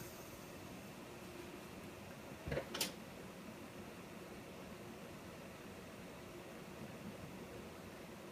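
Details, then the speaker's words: PC after swapping a loud, defective Corsair H105 liquid CPU cooler for a replacement, powered up after the repair; just a faint, even airy hiss with one brief knock, much quieter, so the pump and fans run normally. "It's so much quieter. I can barely hear the CPU fan now. Problem solved."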